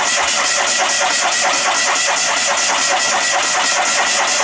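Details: Fiat 126 started on a cold December morning after sitting a long time: steady starter churn at roughly two strokes a second goes on and on without the engine catching; long crank, no start.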